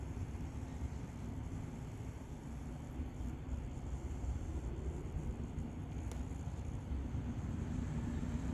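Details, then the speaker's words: Old 12V cooling fan from a Toyota Sienna Android radio, wired directly to a 12V battery after about six months of use: steady rough rattling drone far too loud for its size, audible in-car; replaced with quieter fan. "so that's a noise I got from from in uh when I sit in the car it's quite annoying"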